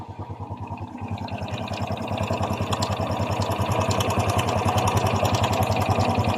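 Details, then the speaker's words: Honda XRM 125 FI single-cylinder bike at idle: a light metallic clatter over the thump. A mechanic blamed the connecting rod, but it is suspected to be a slack timing chain rattling in the head and block; fix is a new chain, roller guide and tensioner. "para sa akin kung ako tatanungin yan po ay tunog ng lagitik ng kanyang timing chin para siyang kumakalansing sa kanyang cylinder head at saka sa kanyang cylinder black"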